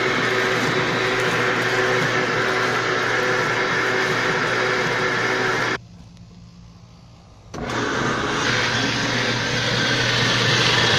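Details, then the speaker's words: Magic Chef Performa washer (same mechanism as Maytag Performa), loud noise when starting to wash: steady rough whirring and hiss over a low motor hum; the drain pump bearing is damaged, wetted by leaking water from wear, and the pump must be replaced. "El problema está en el valero de la bomba del agua. Ese es el detalle, es la falla que tiene. Está dañado el valero, por lo tanto se tiene que reemplazar porque esas bombas ya no tienen arreglo."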